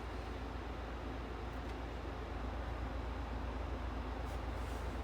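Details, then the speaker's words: 12000 BTU inverter mini split indoor unit in an enclosed racing trailer, heating on turbo top fan speed, mic about 16 inches away. Steady, even rushing hum with no ticking or rubbing; normal, quiet. "let's just turn it on turbo and that way to be as loud as it's gonna get how about that y'all"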